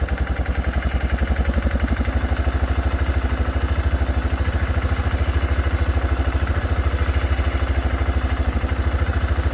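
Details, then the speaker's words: 2006 Arctic Cat 400 4x4 quad, just started with a shot of brake parts cleaner: steady, even single-cylinder thump at idle, no misfires or knocks. No oil-burning smell; air filter slightly dirty. "right, awesome. It literally started up with a little shot of ether."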